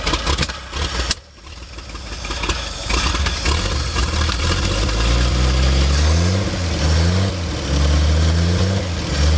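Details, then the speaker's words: 1958 Chevrolet Delray, first start in a couple of years with the float bowl filled through the vent: brief cranking, then it catches, revs up and settles into an even, steady idle with no knocks or misses; normal start and idle. "Chevs are just 100%, hey? Right. 58 Chev is really running well."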